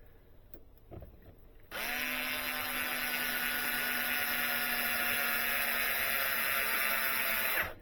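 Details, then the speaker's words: Kyosho Inferno gear diff spun dry before final tightening during setup: even, steady whir with no notching, catching or clicks; the diff turns freely and sounds healthy. "So that's dry and it's not notching and catching. So that's spinning fine."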